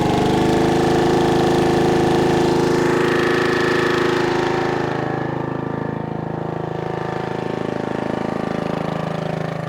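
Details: 1996 Brave log splitter, about 30 years old, revived after its engine had seemed to seize; splitting wood outdoors on a cold, windy day, the small single-cylinder engine chugs steadily with an even beat under load; healthy.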